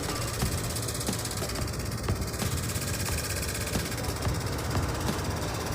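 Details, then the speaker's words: Consul split air conditioner indoor unit: steady fan rush with irregular light ticks about twice a second, something catching and louder when the casing is moved; dirty, unbalanced blower wheel, evaporator cleaning planned. "apresentando aí um barulhinho aí chato aí, ó, não sei se dá pra ouvir, ó, alguma coisa pegando, carcaça, ó, quando mexe aqui, o barulho aumenta,"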